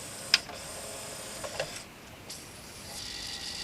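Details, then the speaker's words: CD player on test, searching for disc: quiet clicks and brief scraping whirrs as it tries and fails to spin up, not reading the table of contents; bad laser or adjustment suspected. "most of them you'll find they'll at least get to the point of reading the table of contents but sometimes they'll make a sort of noise like that and if you give them a spin they'll actually get going although this one won't now because i've delayed it"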